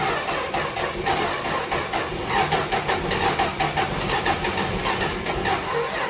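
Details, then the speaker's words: 1964 Dodge Dart wagon, 170 slant six, parked over 25 years, first start and apparently no muffler: loud, steady, unmuffled idle with an even beat, no rattles or misses, seemingly firing on all cylinders; sounds good. "It isn't even, it's not even rattling or anything. Did it sound cold? Yeah, it sounded good."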